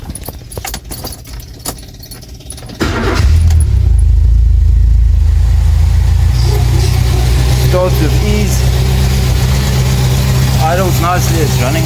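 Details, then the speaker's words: Renault 5 starting after new NGK spark plugs, a replaced fuel pump and a fuel pump switch were fitted. After a few seconds of handling noise it catches quickly and settles into a steady, even idle with no stumble; it starts with ease. "the car starts with ease"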